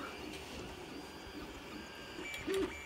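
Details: Creality CR-10S printing ABS without an enclosure at 0.16 mm layer height, about 80% through the print: soft stepper whirrs and short tonal moves over a quiet fan hum, no clicking or skipping; normal operation.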